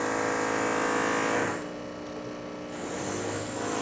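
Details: DeLonghi espresso machine after a full service and tune-up, pulling a test shot of finely ground coffee with a borrowed portafilter. Steady buzzing pump hum that softens as water pushes through the coffee; pump sounds normal.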